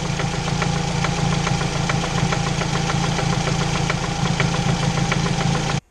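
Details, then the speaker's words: 2006 Chevy Cobalt LS idling, car on lift, knock heard from around the oil pan: a steady, sharp knock about twice a second, a typical rod bearing knock; only cost-effective fix is a reman or used engine. "it sure does sound like a typical rod bearing knock unfortunately for this guy there's really not much you can do other than cost-effective wise put a reman or a used engine in these cars"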